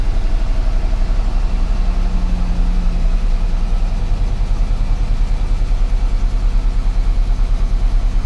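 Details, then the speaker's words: 1998 GMC Sierra 4x4 5.0 Vortec at idle with MAP sensor unplugged, random misfire and MAP codes: deep lumpy idle stumbling with dropped beats, missing a bunch and smelling gassy, though the best idle since owned; old fuel in tank. "not running right missing a bunch and it smells really gassy"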